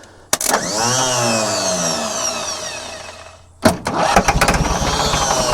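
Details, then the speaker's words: Scrapyard diesel forklift with a sharp clatter and cranking that winds down without catching, then uneven chuffs that don't settle; it sometimes starts and sometimes doesn't. Starter gears possibly not meshing; cause unconfirmed. "Tôi không biết tại sao nó lại quay và đôi khi nó khởi động và đôi khi không, thật kỳ lạ, nó bị hỏng nhưng nó không muốn tiếp tục chạy bình thường"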